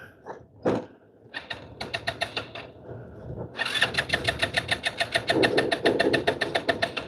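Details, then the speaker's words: Scooter, brakes held to start: short starter bursts, then a long steady crank at about 3.5 pulses a second that never fires; cranks but fails to start, cause unclear. "Of course, now it's not going to start right when my phone's going to die."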